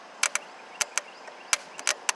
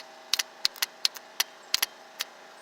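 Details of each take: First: Exmark mower Kawasaki starter bench-tested off the machine, jumped straight from the battery: sharp irregular snaps and crackles from the jumper contact, no motor whir, with smoke coming out; the starter is seized and burnt out. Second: Exmark mower starter solenoid bench test: a known-good three-post solenoid, grounded to battery positive, is touched with a hot wire and gives sharp, crisp clicks in an irregular run. Normal solenoid engagement.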